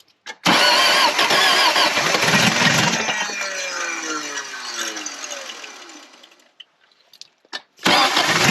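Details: 1979 Toyota first-gen 4x4 pickup, built engine with cam, sat for years with empty tank: cranks, catches and runs rough, revs sag until it dies, then fires again after gas added.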